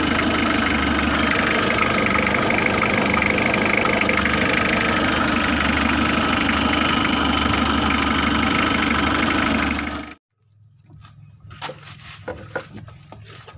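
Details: Mitsubishi L300 diesel idling: a fast, even click-clack of about three per second on top of the idle. The faulty glow plug relay is chattering while the engine runs, keeping the glow plugs on so the engine heats up fast.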